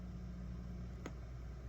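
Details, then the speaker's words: Two guitar amplifiers connected in a stereo setup (Rickenbacker 4003 bass as common bond point): steady low mains hum with buzzy edge that vanishes when one amp's earth ground is lifted and returns when reconnected; ground loop hum. "what happens when you lift the Earth ground from one of your amplifiers and all I have here is I'm just going to disconnect this wire see how it goes away connect it again it's back"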